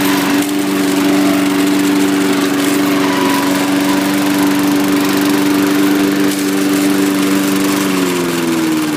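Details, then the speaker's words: John Deere Power Drive 21-inch self-propelled mower with a roughly 3.5–4 hp Briggs engine and its blade brake removed: a steady, even hum at constant speed, easing slightly lower near the end, with no misfires or surging. Normal running. "you can hear it it's a really nice SN and everything seems to work really well"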